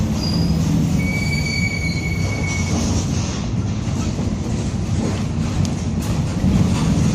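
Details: Onboard 2007 Torino bus on Mercedes-Benz OF-1722M chassis (Grande Londrina 4178) under way: heavy low road rumble with a faint thin whine early on from a worn, growling rear differential.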